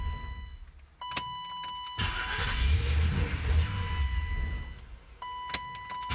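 A chime sounds, then the starter turns the engine over at about four beats a second for three seconds without it catching: cranks but won't start.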